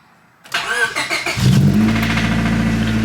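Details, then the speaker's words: EK Honda Civic that developed a vibrating noise while driving. It cranks, catches and settles to a rough idle with a tapping knock, hard to hear at idle but nasty at high RPM. An internal engine knock of unknown cause. "It's kind of hard to hear on idle, but in high RPM she's got a pretty nasty knock."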